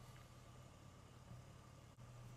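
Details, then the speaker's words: 2009 Chevy Impala that had been overheating, idling after diagnostics: quiet, low, even idle with no knocks or ticks. The temperature has not moved after 21 minutes, so the owner thinks it may be fixed. "Well, I've been sitting here for 21 minutes now and the temperature has not moved at all. So, um starting to think maybe I've fixed it."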